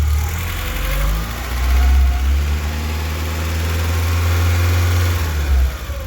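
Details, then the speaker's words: VW Golf Mk2 petrol engine idles high and unevenly with a lumpy misfire, nearly dying, after a vacuum hose repair; a blue-connector temperature sensor is suspected, since the engine runs fine when it is unplugged. "because when it's plugged in it idles high and misfires and nearly dies, and when it's unplugged it runs perfectly fine."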